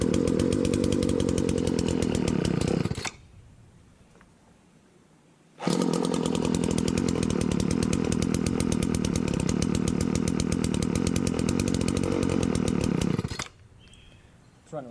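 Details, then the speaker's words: Wheeled walk-behind two-stroke string trimmer with no air cleaner and a repaired throttle runs buzzy, cuts out, restarts, then stalls once the choke is off; the lean low-speed mixture is fixed by opening the low-speed screw half a turn. "Notice how it would die once I took the choke off. So we gotta open up the low speed."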